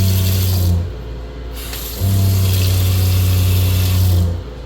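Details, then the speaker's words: Water pump in a 7'x12' flat-front concession trailer, switched on at the cabinet-face switch, serving the sinks. A low steady hum that runs, pauses about a second and runs again evenly; the pump is cycling and running normally. "Right now it's in the on position. As you can tell, you could hear it running."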